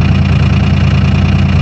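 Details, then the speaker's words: 2001 Dodge Cummins diesel cold start at −4°F with grid heaters, three-cylinder cold mode: loud steady clatter at raised even idle immediately after start, unusual in nine years of ownership as it normally idles first then ramps up; cold-start high idle. "it's never done that before where you fire it up and immediately kicks her into high idle usually go to idle first and then ramp up after a little bit"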